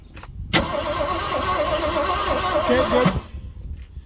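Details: 1967 Ford Galaxie sitting 35 years: starter turns steadily about two and a half seconds without catching while testing spark from coil wire; no spark until coil connector found unclipped, distributor cap and rotor crusty.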